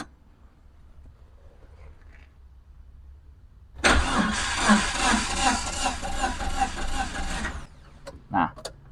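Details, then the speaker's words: Suzuki APV Mega Carry that died suddenly while driving: the starter spins steadily and sounds heavy for about four seconds, but the engine never fires. The mechanic predicts a broken timing belt; this is not confirmed. "itu kalau kejadiannya seperti ini dia kan gak bisa running ya gak bisa running sedangkan arus masuk tapi dia engak mau start gak mau running gitu"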